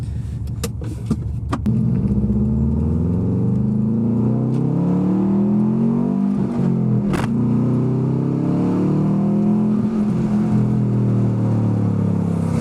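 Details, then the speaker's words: Subaru WRX, warm, accelerating hard on test drive after fixing cylinder 1 misfire (P0301) under heavy acceleration; cause was a bad coil pack, not the suspected remanufactured injector; engine pulls cleanly, pitch climbing smoothly, no stumble; normal acceleration. "not miss it anymore that was a problem which is nice"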